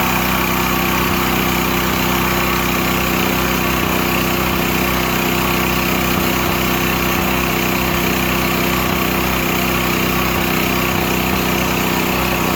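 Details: Used Stanley 8000 W all-weather generator, sat four years, running after a starting-fluid start, choke off; loud, constant drone with unchanging pitch, no surging, hunting or knocking, normal running.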